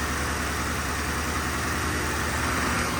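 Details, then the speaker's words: 1966 Ford F100 on 2010 Crown Victoria chassis, fuel pump disabled, running briefly on starter fluid: even steady engine note with no knocks, ticks or rattles; quiet, normal engine running. "this thing runs quiet doesn't make any crazy noises"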